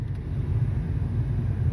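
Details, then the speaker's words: Ford Ranger, previously no crank no start, now running after a new computer and programmed keys: steady, even low rumble at idle with no misses, knocks or hunting; normal idle. "Hey I can't believe it guys it's running this thing runs"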